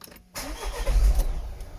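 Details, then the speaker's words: Vauxhall Vivaro diesel van just after fuel filter replacement, primed with key-on: short crank, catches at once and settles into a deep, even idle with no stumbling; no air lock, normal start. "and there we go so there's no air lock there"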